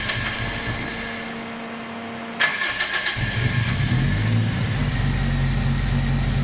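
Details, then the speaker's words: Toyota TA22 Celica 4A-GE, first start after ultrasonic-cleaning the injectors, a new fuel filter and fresh fuel replacing old fuel that dropped idle to two cylinders: it catches, then stumbles and hunts at a lumpy, uneven idle, running rough. "definitely doesn't sound happy."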